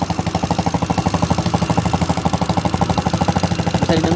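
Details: Yamaha Xeon carburettor scooter, noisy engine that also smokes: small engine idles with fast, even tapping about nine beats a second riding on the exhaust; valve train ticking, fits a loose valve adjuster.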